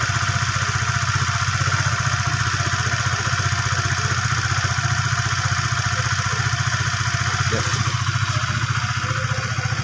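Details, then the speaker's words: Used Honda Sonic 150 that had seized, after a makeshift repair of a camshaft rocker worn from dry oil, radiator refilled: a steady single-cylinder idle at about 220 beats a minute, fairly smooth with slight noise, no knocks or misses. "suaranya lumayan halus teman-teman ya ada sedikit ada sedikit pasar itu Ya wajar lah ya karena motor ini bekas Motor macet"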